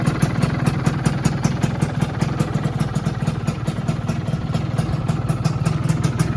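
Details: 2001 Yamaha F1Z-R two-stroke, rarely used collector bike, started on electric starter, idling in neutral: quick even popping, about six beats a second, over a low steady drone, no misses or knocks; healthy idle.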